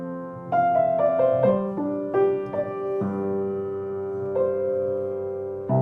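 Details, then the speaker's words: Kawai baby grand piano after tightening a loose bolt that caused a clicking sound and retuning some out-of-tune notes; clear notes ring and decay with no clicking or rattling. Normal piano action, no clicking. "some notes Were Out Of Tune when I was uh fixing the problems with the extra sound so maybe find out how it sounds now"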